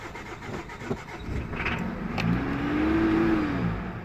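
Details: 2000 Mitsubishi Pajero 2.5-litre diesel, crank no start with no ECU communication: the starter turns the engine over steadily and it tries to catch but never fires; a fuel supply problem is suspected, not confirmed.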